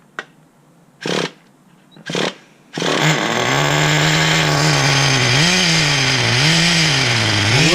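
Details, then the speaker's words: 2006 Traxxas Nitro 4-Tec 3.3 (Model 4809), TRX 3.3 engine after rebuild, untuned: a few short buzzy pulls, then a high revving whine that wavers and sags instead of holding steady; it bogs and struggles. Owner suspects too much fuel or too-low idle. "I wonder if there's too much fuel and that's causing it to bog down."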